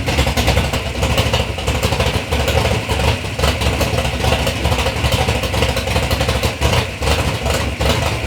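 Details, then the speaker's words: 3rd-gen Camaro with a big-block Chevy V8 on its first start-up after years of building, being blipped: lumpy, choppy burble that picks up cleanly and settles evenly; the motor sounds good and healthy. "even after this you know we but initially we got to hear the motor run sounds good sounds healthy"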